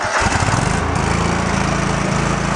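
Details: Small single-cylinder engine on a Craftsman lawn tractor being converted for woods use, after cranking on the advance and pulling and relocking the throttle cable: steady even putter with no rise in speed; adjustment made no audible difference.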